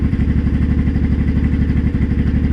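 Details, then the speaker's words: Honda Shadow 500 motorcycle: steady low idle thump with a fast, even clatter that persists in gear with clutch pulled, so engine not transmission; worsening rattle after low-rpm knock; broken and loose bolts without threadlocker later found; cause not confirmed in clip. "oh maybe shove your way home and that'll be it for this year cuz that sounds that sounds bad"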